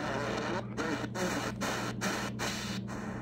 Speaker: that tone you're hearing is actually an internal birdie from the radio circuit going into shortwave and if you tune around you notice that there's a lot of these birdies